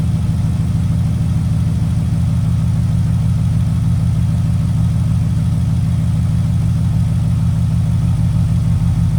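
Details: Porsche at idle with P0303: steady low idle with uneven loping beat around three per second; cylinder 3 misfire, diagnosed by swapping components, cause not stated.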